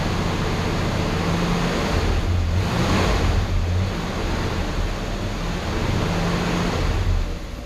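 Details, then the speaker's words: 1966 Ford Galaxie 500 V8 at warm idle after Pertronix electronic ignition replaced arcing points and the carburetor was set: steady, even low rumble. It previously missed badly off idle with a jumping timing mark; now steady as a rock. "it idles good before but before when I took it off of idle that would miss real bad and the timing mark would jump all over it to steady as a rack"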